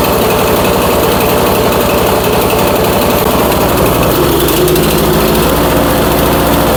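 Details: Troy-Bilt Storm 2410 snowblower engine, electric-started after being run with excess gas (owner suspects rings washed out, smoking, borescope shows cylinder scratches): uneven lumpy chuffing that stumbles and runs rougher as it warms; rough running when warm, cause unconfirmed.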